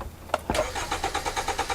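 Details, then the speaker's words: 2010 Hyundai Sonata crank-no-start. Steady starter cranking at about nine even compression pulses a second that never fires. The tachometer moves while cranking. Fuel pump motor not turning; ground and feed were ruled out, so the pump itself is dead. "The motor's not turning. Why is the motor not turning? It is not because of a bad ground. It is not because of a bad feed. This motor is done."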